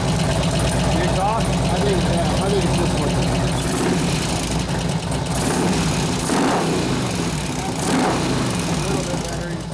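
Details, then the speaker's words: 2004 Harley FLHT Twin Cam 88 after cam change with new lifters: uneven, lumpy idle with a faint, irregular light tick. About half the lifter noise has gone; owner suspects one lifter still not pumped up. "about half that lifter noise went away but it's so maybe one maybe both the pumping and one's not only one now"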